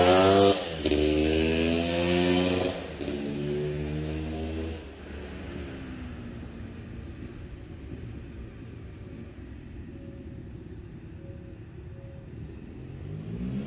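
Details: Yamaha YZ250 two-stroke (270cc/250cc) motocross bike on break-in street ride after full engine rebuild (bottom end, transmission, bearings, clutch, power valve): crisp revs climbing through gears, settling to an even drone moving off; healthy.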